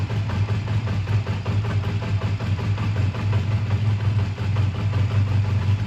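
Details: A 2001 Honda Rebel idles with a steady, even, unbroken low beat and no knocks or ticks, after a choked cold start at 22° that stalled once and a suspected minor fueling problem with a gas drip; tired but runs good; normal idle.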